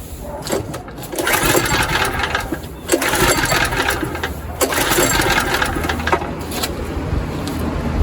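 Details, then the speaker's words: ETQ3000 3000-watt portable generator, choke on. Several rasping recoil pulls each spin the engine briefly without firing; it cranks but won't start, with the owner suspecting it isn't drawing fuel. It later started without problems. "Yeah, choke is on. Just not sucking up the fuel. Hm."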